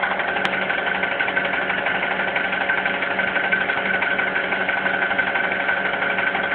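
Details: Honda Accord K20 engine: steady idle with a faint, fairly even tapping knock of about three per second, origin unknown.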